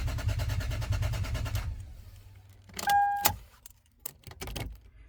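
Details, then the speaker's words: 2005 Lexus IS300 crank-no-start after a new ECU, key and immobilizer fix and new spark plugs, coil packs and wires not yet replaced: quick even cranking for under two seconds, never catches; owner suspects it has compression but lacks fuel, maybe spark. "Sounds like it's getting compression to me, but it doesn't sound like it's getting fuel, maybe not spark."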